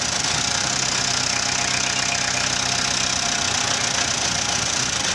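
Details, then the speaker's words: Renault Kangoo engine idling with an uneven, stumbling beat, oscilloscope connected to the advance valve; the intermittent misfire happens when the advance valve's control pulses drop out. "Cuando falla el motor es porque se cortan los pulsos del avance."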